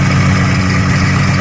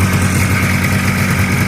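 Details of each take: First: 1985 Yamaha Phazer two-stroke snowmobile after carb cleaning, tuning still being dialed in: steady, busy idle with even low drone sitting a bit fast; idle slightly high and low-speed idle odd, owner suspects a seal. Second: Choked cold start on a 1985 Yamaha Phazer two-stroke snowmobile after carb cleaning, over 100 psi compression per cylinder: steady, buzzy idle with constant low drone, no misses or surging; runs cleanly, tuning still being dialed in.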